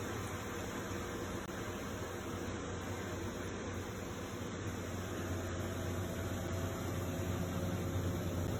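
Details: Comfee 0.9 cu.ft portable washer (CLV09N1AMG) washing a pretty big load, base slot slid under but left unscrewed: even low motor hum with steady churning swish, no knocks or rattles; normal wash cycle.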